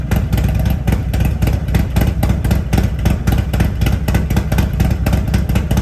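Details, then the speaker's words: Harley-Davidson Road Glide at Stage 2 with an S&S 475C cam chest, professionally tuned to 114 hp, with TAB Performance exhaust: a choppy, regular loping exhaust thump with a crisp bark; a healthy cam lope. "The difference is significant. The lope that the motor puts out now is just a great sound."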